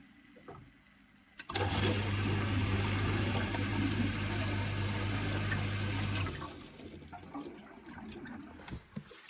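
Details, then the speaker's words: Heatline Capriz A combi boiler in venting mode (P06) after a new pump head and plate heat exchanger were fitted, with the AAV open and leaking slightly. A steady rushing, gurgling hiss with a low hum as trapped air purges. Normal venting. "It's in venting mode, make sure AAV is open. It is leaking a bit, but it should be fine. So I can hear the air coming out as well."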